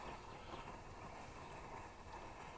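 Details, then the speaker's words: Plumber's pot (smelting furnace, pressurized camp-stove type) during preheat: steady roaring hiss with uneven flutter and flaring flame because the generator isn't hot enough yet, so it shoots raw fuel instead of vapor. "It takes a while to get good and hot to vaporize correctly. We're getting there, we're getting there. The reason it's flaming is because it's shooting raw fuel, not vapor."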